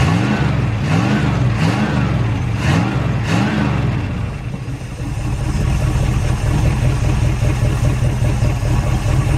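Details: Cold V8 in a derelict Dodge D150 pickup fired up after long storage, with fuel poured in and the fuel line disconnected because yellow scuzzy fuel is coming out. It settles into a low, uneven, loping idle: rough running, cause suspected, not confirmed.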